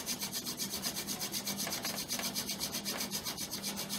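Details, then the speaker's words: Incantation friction fire drill with too much body weight: fast, harsh gritty rasping about four strokes a second, too abrasive, grinding chunky dust instead of an ember; pressure being reduced. "think the reason why everything was so chunky was because i was putting too much body weight on it and it's do it's too abrasive so i'm backing up on pressure"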